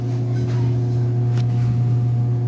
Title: dryer making loud noises